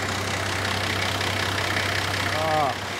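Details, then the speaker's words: Nissan GQ Patrol TD42 diesel, previously hard to start when cold, after cleaning corroded battery terminals and addressing cylinder 4 glow plug: starts and idles with low, even clatter, no stumble or misfire; normal diesel idle. "that is such a relief starts up idles nice and smooth now I'm happy with that"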